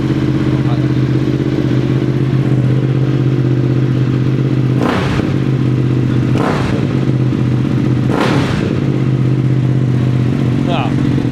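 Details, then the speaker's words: Moto Morini X-Cape 1200 V-twin just after starting: loud, steady low idle with mechanical clatter and a few louder thumps; owner says the V engine is noisy at start but quiets when riding; normal cold-start idle. "Kuat bunyi tu. Tapi masa jalan tak bunyi. Engine V memang macam tu. Dia masa start dia bunyi bising. Bila jalan dah hilang dah bunyi."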